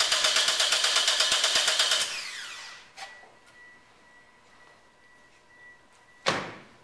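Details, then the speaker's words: Compression test with fuel and ignition disabled and the throttle held wide open: even, rhythmic cranking at about three beats a second, strokes alike; normal cranking, with the cylinder reading 150 psi, a good number. "go ahead crank the engine over in the process I want to hold the throttle wide open and crank it over long enough to get a peak reading"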